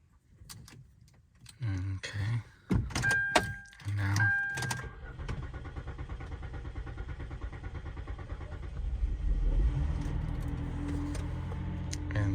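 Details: 2006–2010 Hyundai Sonata NF after fuel pump replacement using a lock ring tool: a few cranking turns, then the engine catches and settles into a steady, even run that firms slightly; starts and runs cleanly, the pump was the fault.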